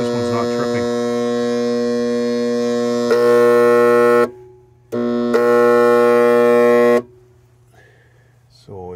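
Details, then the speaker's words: Hot tub pump motor powered but never spinning up, heater element heard heating, flow error and OHH overheating code, sometimes tripping the breaker: loud steady electrical hum; start capacitor tested at zero. "So I've tested the capacitor in the back, took the capacitor off, and I'm going to put a new one in right there. I tested it, it was zero."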